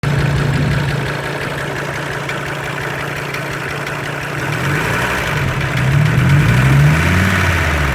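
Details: Audi 100 C3 2.0 TD (engine code DE) diesel at idle: a regular knock taps out over the diesel clatter, roughly three or four a second, growing slightly as revs rise; engine knock.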